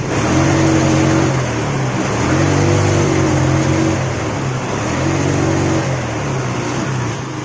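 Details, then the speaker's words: Yamaha Mio scooter, kick-started: revs climb, then stumble and fall back each time the throttle opens; sputtering bog that won't clear at high rpm; suspected clogged or dirty air filter starving the carburetor, not confirmed. "Ini masalahnya berebet saat gas atas atau RPM atas."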